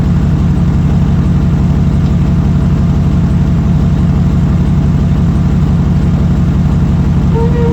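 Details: 2008 GMC Sierra 1500 Denali, L92 6.2L V8, resonator delete, cold start and rev: loud deep V8 rumble with a steady rapid puffing tick from an exhaust leak just before the secondary catalytic converter, with exhaust still passing through the primary cats.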